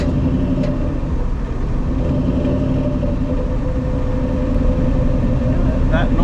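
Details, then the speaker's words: 1959 Willys Wagon on a 216-mile road trip, transmission described as junk; steady low hum with a faint constant tone over road rumble while driving in a lower gear, noise goes away once it shifts into third. "Yeah, as soon as it goes into third, the noise goes away, so we're just gonna keep running it."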